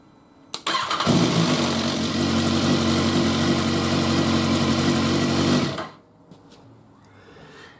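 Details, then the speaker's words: 2016 BMW S1000R/S1000RR at start-up, loud metallic clatter over idle from cam chain rattle, fixed by installing and adjusting a manual cam chain tensioner. "Behind this panel there is the CAMCHAIN tensioner. So let's start it up. There it was, loud and clear."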